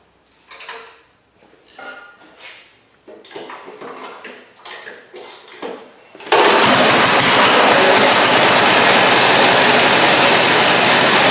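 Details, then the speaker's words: Scrap-heap snowblower after reassembly with a new choke, pull-started with fuel on: quiet handling sounds, then the engine catches and holds a loud, steady fixed-speed roar with no misses or surging. It runs fine. "Well, it runs, and as you can tell, it's nice and safe."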